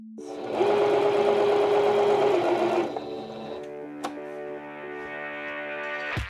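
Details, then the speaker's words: Singer sewing machine sewing a zigzag after cleaning, oiling, timing and tension adjustments, with the bobbin rethreaded correctly. Fast, even needle chatter about three stitches a second with a steady motor hum; clean stitch, no bobbin thread showing. "All right, that is much better. I don't know if you can see this, but here's our latest stitch. We have a nice clean zigzag and not seeing any of the bobbin thread poking up."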